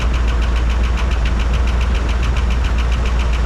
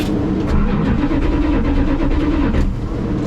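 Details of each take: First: 1985 Dodge D150 with carbureted engine that runs and idles well; quick even clapping tick about three or four a second at idle, suspected lifter tick, oil pressure to be checked; valvetrain ticking at idle. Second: 1985 Dodge D150 after replacing bad ignition switch: starter turns engine over with even steady chug, no clicks or hesitation; normal cranking.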